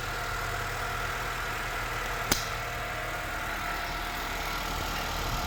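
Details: Acura/Honda engine idling with the serpentine belt removed. Quiet even idle, no knocks, ticks or whine, so the engine is judged good. The earlier bad noise is blamed on the AC compressor.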